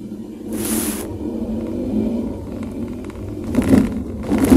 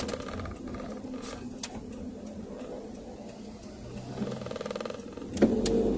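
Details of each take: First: Car braking on smooth asphalt: low rumble with dull tok-tok knocking from the rear; front pads new, caliper fine; rear drum shoe sticking like slight handbrake, fixed by cleaning shoes and drum and adjusting. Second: Car driven on road with hard and full braking after cleaning the rear brake shoes and drum and checking adjustment: steady road rumble with faint soft bumps; the earlier rear tok-tok knocking when braking is gone, brakes quiet.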